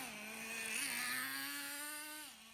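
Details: Traxxas T-Maxx nitro glow-engine RC truck, restored after sitting 15 years, on fresh nitro fuel, run outside after priming: a high buzzy whine rises and eases with throttle, clean and continuous with no sputtering, running well.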